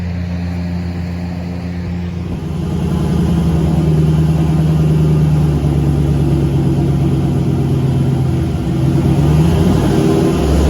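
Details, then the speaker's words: Turbo LS V8 Caravan with 4L80E automatic, warm, headers baking off: light throttle (24%) brings 4000 rpm at only 45 kPa (idle ~40 kPa); high steady drone without matching pull; owner suspects transmission slippage, fluid checked beforehand. "so here we have to do 24 throttle 45 kpa 4000 rpm that's not good it's not a real good sign"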